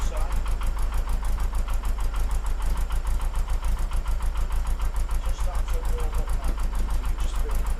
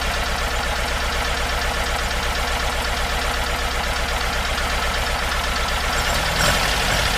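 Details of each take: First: Porsche 914, 2056cc on dual Weber carbs: after both idle screws turned in a quarter turn, mixture having seemed lean, an even, steady idle with no stumbles or misses; over-tightened accelerator pedal likely the earlier cause. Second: Porsche 914 with 2056cc engine on dual Weber carbs, running in the rain after a suspected exhaust fault was fixed: steady lumpy idle, then the note lifts and evens out as mixture is backed off.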